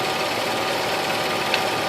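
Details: 2004 Nissan Frontier V6 running, heard through a metal tool held on top of a spark plug wire: even, steady rush with no ticks or dropouts; this cylinder sounds healthy.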